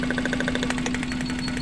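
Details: Suzuki Carry Futura pickup engine idling unevenly, shaking with a lumpy pulse from one dead cylinder, vibrating and lacking power; checked by pulling plug wires one at a time.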